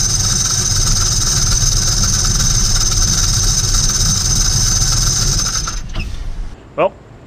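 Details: GM LS V8 with belt on: harsh gritty grind and steady high whine from the accessory drive, then shut off; grinding traced to a loose power steering pump mount.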